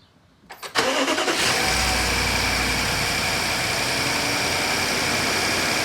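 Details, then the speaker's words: BMW 550i F10 N63 right after replacing spark plugs and ignition coils: quick crank and catch, then a smooth, steady idle with no hunting or misses; earlier small idle rpm fluctuations are gone, normal start and idle. "I haven't done hard acceleration yet but the car definitely idles better I used to have very small fluctuations in two rpms as it's idling it's perfect now"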